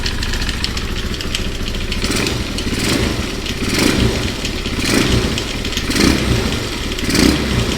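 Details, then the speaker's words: 2001 Honda XR200R single idling on first start of a basket-case rebuild, loose metallic rattle over it surging with throttle blips; timing chain suspected on that side, possibly clutch, unconfirmed: top-end rattle. "ooo sounds like it's got a timing chain rattling something's rattling almost sounds like from right here the timing chain I believe is on this side"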